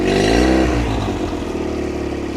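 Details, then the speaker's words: 2004 Nissan 9.8hp outboard on a stand, running after a broken fuel-pump hose clamp (letting it suck air and lose prime) was fixed and oil from improper storage cleared; brief rev settling to an even, steady idle without stumbling. "The plugs didn't look that bad. They look fairly new. The thing runs great."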